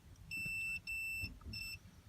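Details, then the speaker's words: 2002 Toyota Sequoia horn fault: a meter on body ground touches the steering-wheel ground point while the wheel is turned, giving three short beeps with drop-outs. The steering-column ground makes intermittent contact, not the clock spring as first thought. "Steering column, where ground's at, wherever that is, I still gotta look for it. It's not grounding right."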